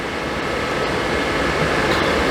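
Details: Suburban RV furnace: steady, even burner and blower rush with no surging, clicking or rattles; normal running.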